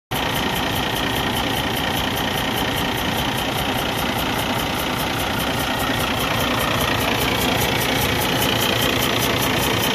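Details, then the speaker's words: 2012 Cummins ISX15 diesel, engine repaired about 180,000 miles earlier, with misfire, smoke, coolant consumption, no power: rough rhythmic chuffing at idle, compression leaking at cylinder 6 through a cracked cylinder head. "you hear that the maximum amount of uh like pressure release pressure exhaust is coming from the cylinder number six"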